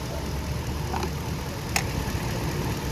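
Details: 2013 Toyota LX 570 after fixing crank-no-start hard starting caused by a misplaced EFI relay: steady even idle, smooth low rumble, no misses or knocks; normal idle.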